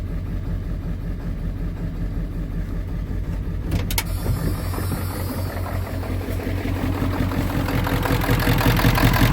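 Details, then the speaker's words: 1995 Ford F-350 7.3L turbo diesel, cold start while low on coolant: brief cranking, then it catches with oil pressure and settles into a steady, even low diesel rumble with no misses or knocks. Healthy cold-start idle. "Oh, look at that. Got oil pressure. Oh, there we go. Look how nice that thing started."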